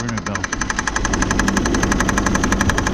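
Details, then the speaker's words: 2000 Saturn L300 with a 3.0 L V6, after a timing belt job: sharp, regular knocking of about four per second over a steady idle, coming from the third pulley. The power steering pump pulley is knocking. "you hear that noise that sounds like that's coming from the third pulley on that"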